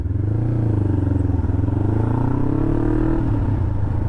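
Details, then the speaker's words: 2007 Kawasaki Ninja 500R on first ride after carburetor cleaning with new needles: twin pulls with a smooth, even beat as revs climb through a gear change, no misfire or stumble; running healthy. "and smooth brakes are working good sounds happy"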